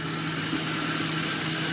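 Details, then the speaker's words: Engine idling with the AC engaged; a knock heard with AC off disappears, leaving a steady, even idle hum, suggesting the AC compressor or pulley rather than the block, suspected but not confirmed. "let's go ahead and engage the AC foreign get you a good view on that one right from vent to AC listen carefully a sound just went away oh man"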